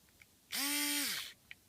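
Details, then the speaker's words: Peugeot Speedfight moped starter motor bench-tested by touching it directly to power: short, smooth whir spinning up under a second and winding down evenly, no grinding or catching; the starter works fine, so it isn't the no-start cause. "see that's perfectly working so there's nothing wrong on this"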